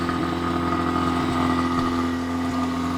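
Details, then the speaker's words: Mazda RX7 FB rotary first start after flooding, cleared by cutting fuel pump power via ignition coil terminal while cranking: lumpy, uneven idle with low drone and irregular stumbles, heavy smoke. "so basically what we had to do um i was hitting the key i could tell it was flooding there is a terminal on one of the ignition coils that you can pull off and that kills power to the fuel pump"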